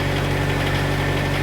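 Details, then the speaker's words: PCI Self Generating Nitrogen Servicing Cart (SGNSC/GANG) diesel engine idling around 1500 rpm to warm up after start: a steady, even drone with no misses or knocks; a normal, healthy warm-up idle. "idle for a while, let it warm up. I'm gonna run it for about 5 minutes like this, and then I'm gonna go ahead and wrap it up some more."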